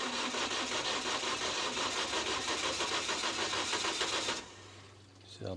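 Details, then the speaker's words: 2003 Toyota Vitz no-start: starter cranks evenly at about three turns a second for four seconds without firing. Spark was present; plugs were flooded and the battery weak. Started at once after the plugs were sorted and oil was added, one syringe across 4 cylinders. "Искра была все есть Просто свечи залива аккумулятор был слабый они после Нового поставили"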